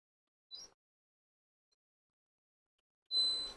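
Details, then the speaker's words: Capacitor tester on capacitors from a Roberts R707 transistor radio restoration: a single short high-pitched ping instead of the double ping a good capacitor gives, indicating a bad capacitor. "oh just one ping there look that's one next"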